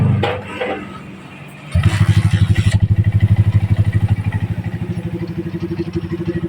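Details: GL Pro Neotech motorcycle with hard starting, after cleaning, kick-started without choke: fires and settles into a steady even thump with no stumble. Hard starting without choke was attributed to leaking valves.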